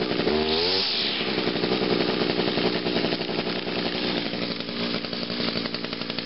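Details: 2002 Echo SRM 2400SB two-stroke trimmer on a cold start, with choke on and five primes; it took a few more pulls than expected. It catches, then settles into a steady, even high buzz with no misfires, a normal cold start and running.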